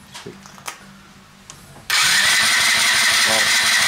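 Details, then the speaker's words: Zipp ZV-50 scooter that won't start, spark plug fitted, cranked to check compression while investigating fuel: strong, even starter crank with steady compression loading; normal four-stroke cranking with good compression. "prawidłowy dźwięk silnika 4 sądowego który jest obciążony normalnie i ma kompresję"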